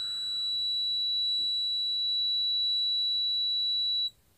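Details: Multimeter testing a good 5.5 V 0.047 F supercapacitor: steady high-pitched meter beep about four seconds, then cuts off cleanly as it charges; normal continuity beep, unlike the swollen, burnt capacitor which gives no beep.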